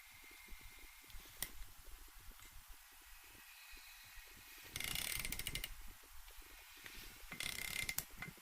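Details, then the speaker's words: Honda VFR800Fi engine during rebuild, crankshaft turned over by hand with a ratchet: ratchet clicks with two soft whooshing surges a few seconds apart as cylinders come up on compression; turns over fine, normal compression. "so what we'll do at this stage is we'll just turn the engine over a bit anyway so you can hear the compression strokes there"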